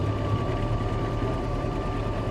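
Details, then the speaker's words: Bombardier Bombi with Holley Sniper 1100 EFI, after coil replacement: steady fast idle with constant whine near 2,000 rpm though set to 900; engine also cuts out after minutes, battery not charging, EFI tuning suspected. "we got to running again but it's see it's set set to idle at 900 idland right around 2,000 right"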